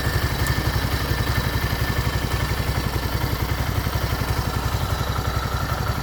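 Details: Motoland 166FMM (165FMM) 250cc single-cylinder engine, first start after repair: even, steady idle with regular low firing pulses and no knocks or ticks; running healthy.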